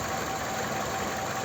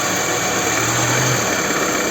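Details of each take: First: Toyota Camry XV30 2.4 2AZ-FE, owner's complaint was a cold-start noise, after the balance shaft was restored and a new tensioner fitted, hood open: even, steady idle with no balance-shaft rattle or whir; normal idle. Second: Toyota Camry XV30 with 2.4 2AZ-FE, cold morning start, owner reports a knock only when cold: faint, fairly regular knock about three a second from low in the engine; mechanic suspects the balance shaft, plus a brief VVT-i intake rattle at first start.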